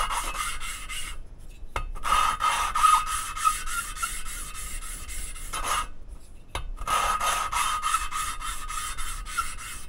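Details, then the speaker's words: Mercedes OM 646 821 diesel cylinder head during assembly: rhythmic back-and-forth rasp of valve lapping with paste, about three strokes a second, turning softer and more rustling as the abrasive grinds finer; the seat is smoothing. "а звук уже такой по приятнее более шелестящий там внутри абразив и он в процессе притирки изменяет свою Фракцию становится более мелким"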